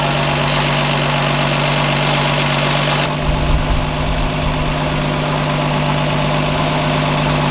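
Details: 1952 Ford F1 truck just revived, solenoid jumped, positive ground, generator suspected not charging: steady even low idle with smooth regular beat, no knocks or misses, running fine.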